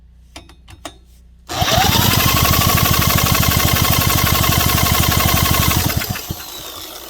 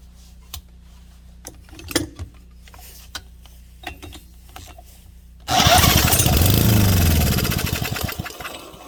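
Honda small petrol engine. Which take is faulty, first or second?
second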